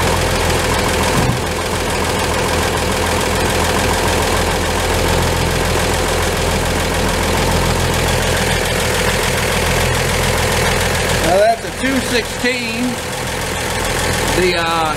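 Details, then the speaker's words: 1949 Chevrolet 3100 pickup, worn 216 inline-six, bottom end likely 120,000+ miles, PCV added for blow-by, cold rough idle with low rumble and faint knocking; bottom end worn, turns by hand with all plugs in, compression never tested. "I've added a PCV valve to try to alleviate that, and the bottom is just wore. With all six plugs in this engine, I can easily spin it by hand."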